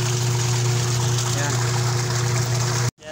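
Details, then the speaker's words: Sanyo Aqua twin-tub washing machine that was noisy when washing, after a new part was fitted: steady, even motor hum with water swishing and no banging or grinding. Normal, quiet wash motor, drawing about 1.1 A. "titingnan natin kung maingay pa siya So paandarin natin ayun ang galing ayan wala ng ingay oh oh"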